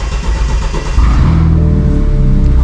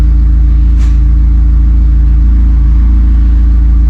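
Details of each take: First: 2016 BMW 428i xDrive (F32) with N20 engine, just after fuel pump replacement and fuel code cleared; starter catches within a second, settles into an even low rumble; normal start. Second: 2016 BMW 428i xDrive N20/N26 with fuel pump unplugged before pump replacement: steady low idle hum holds about seven seconds, then stumbles and dies as the lines run out of fuel; stall from fuel starvation.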